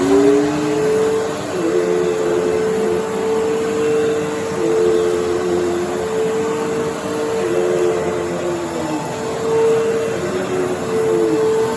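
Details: 1997 Fantom Fury 10 A vacuum cleaner, 25 years old, on highest setting over carpet: strong steady motor whine with heavy air rush through machine and hose, dipping slightly as the head is pushed; runs very nicely.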